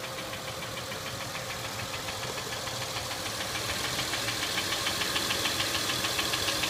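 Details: Acura MDX at idle: crisp, regular ticking about three and a half per second over a smooth idle, growing slightly louder; top-end engine tick, cause unconfirmed.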